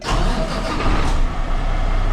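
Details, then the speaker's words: 2022 Kenworth W990 log truck with Cummins X-15 diesel, about 19,000 miles, starting after fuel filter change and priming: brief crank, then catches into a low steady idle; normal start. "There it goes. There she goes."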